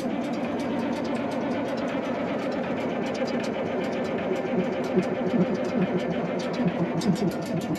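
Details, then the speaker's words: 1965 Allis Chalmers TL645 wheel loader, 3500 Allis Chalmers diesel with fuel supply problems: sluggish, uneven cranking at roughly two turns a second, dragging and never catching; owner suspects low battery. "but we are dealing with battery issues here I'm kind of thinking we're low"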